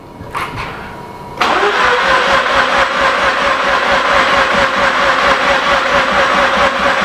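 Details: Mazda RX-8 13B rotary after injector cleaning, cranked on a jump pack: long loud even cranking, about two pulses a second, never catches; no fuel delivery from the pump.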